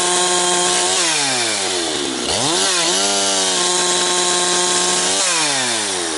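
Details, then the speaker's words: Husqvarna 362XP chainsaw cutting firewood, fitted with the wrong ignition coil: screams near full throttle but sags, gargles and surges unevenly under cut, well off its RPM range, misfiring. "YEAH, that is very frustrating to uh have something that's uh bobbling around and gargling like that. Like I say, maybe it won't you pro you folks probably can't hear it on the on the camera, but uh definitely in person here, I can feel it's off RPM range quite a bit."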